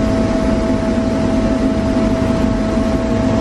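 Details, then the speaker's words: Grain system blower motor pushing corn through the air pipe to the bin while the dryer meters out. Loud, steady hum with a fixed whiny tone, no knocks or wavering; normal blower hum. "that you guys hear that loud humming whiny tone that you guys hear in my videos all the time it's actually the generic system and the blower motor watching the air through the pipe to send the cord to the freight bin"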